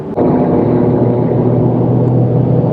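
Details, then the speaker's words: Truck on new Mickey Thompson EXP tires at about 85 mph on the highway: steady, even low hum and roar with no thumping or wobble, still audible and felt but not as loud as the previous KM3s; normal tire road noise. "So you can definitely hear it. You can still feel it, unfortunately. But I will say it's not as loud."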